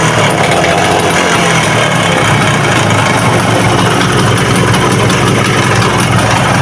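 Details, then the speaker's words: Vespa VBB two-stroke at idle: busy metallic rattle that gets worse on throttle. Piston slap from a worn cylinder; the head and block are then disassembled. "Nah suaranya seperti itu ya teman-teman ya kemelatak-kemelatak gitu ya apalagi kalau lagi mulai digas ya itu"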